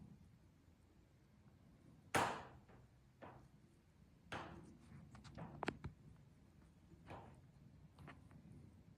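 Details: Sunroom patio room in full afternoon sun around 3:50 pm, quiet interior: sharp, irregular pops and ticks a second or two apart as rivets expand and contract; thermal expansion popping, occurs only with direct sun.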